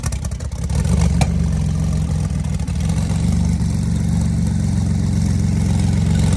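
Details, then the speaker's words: Porsche 911 Turbo flood car, second start without engine teardown, after water drained from fuel rail, injectors and lines; oil 50/50 Marvel Mystery Oil and 0W40. Steady low drone settling to even idle after rough first second, all cylinders firing; normal idle. "they had to get that water out of the injectors and out of the fuel lines but now now it's running butter smooth and we're about to watch it clear up hopefully"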